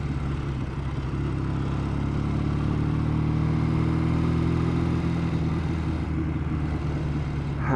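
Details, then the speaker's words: Matchless G12 twin on a short ride after 20 years in the garage, about 30 mph, shifting third to second: deep steady exhaust drone, somewhat rough race-bike sound but even firing, no knocks or rattles; normal running. "i know it sounds like it's some race bike that is a bit it's a bit pretty rough isn't it"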